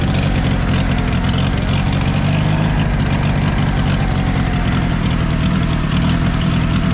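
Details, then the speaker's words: 1960 International tractor idling after being given fuel: steady, deep, even idle with a smooth firing beat and no knocks or misses; normal idle. "That's a lot better with fuel."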